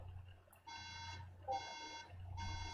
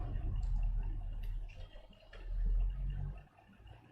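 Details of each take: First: right there's our beeps okay fair enough let's turn that off so three beeps is a memory issue or you know it's the symptom of a memory issue the Mac is saying is having difficulty accessing the RAM Second: 2009–2012 MacBook Pro that gave three beeps on boot (generic memory error), after battery reconnected and back cover refitted: one clear sustained startup chime, white screen and Apple logo, no beep pattern; normal startup.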